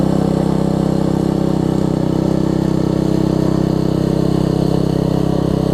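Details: Troy-Bilt Tuffy rear-tine tiller, 4 hp Briggs single, after fitting replacement carburetor with linkage and spacer, quarter tank of gas: even single-cylinder thump at steady speed, no stumbles or surging; normal running after repair.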